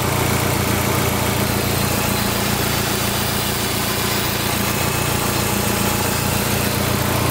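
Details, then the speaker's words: Dodge SRT-4 after intake manifold gasket replacement for a vacuum leak that caused misfires: even steady idle around 950 rpm, no hiss, lope or ticking; healthy, settled idle. "so there you have it let's check the idle running about 950 rpms"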